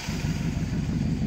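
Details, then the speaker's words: 1949/1950 Ford coupe, chopped and lowered, after tune-up, timing about 0–2 degrees ATDC, side exhaust with glasspacks: deep, even burble idling around 750 rpm with no misses; normal idle. "Sarge right up it's idling at about 750 now and it even does burnouts guys"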